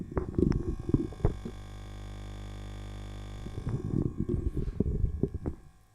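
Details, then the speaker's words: Low steady mains hum for a few seconds from a vintage GDR-made flea-market measuring instrument just switched on, between handling knocks; ordinary warm-up hum, nothing wrong. "so I did turn it on and you can hear it humming"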